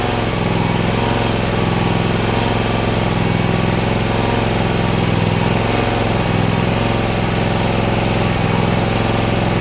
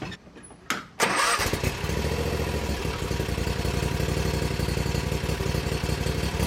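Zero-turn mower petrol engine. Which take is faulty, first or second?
second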